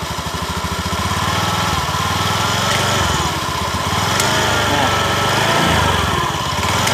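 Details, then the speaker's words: Honda Beat eSP scooter CVT, pulling away at light throttle: rough rhythmic clatter three to four times a second, gone once moving and normal without throttle; source found at clutch bell and worn-out clutch shoes. "sumber bunyinya di sini dilonceng ganda sama kampas dilonceng ganda sama kampas sumber bunyinya ya"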